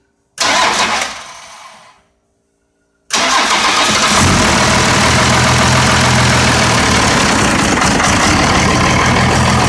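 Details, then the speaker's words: 1990 Dodge W250 first-gen Cummins diesel, just after an oil and filter change with stop-leak oil and an aftermarket pump. Falling starter whirr, then another long crank; won't fire, fuel drain-back suspected. "key all right try to for some reason the fuel must have drained back try again"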